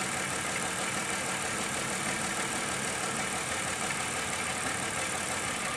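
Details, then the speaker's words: Car idling during an O2 sensor test with propane added to force a rich condition (sensor pegged near 1 volt, fuel trim pulling fuel): the radiator cooling fan has kicked on, giving a steady rushing whoosh over a smooth idle; normal. "Okay, at this point, the cooling fan kicked on, so it's a little hard to hear me."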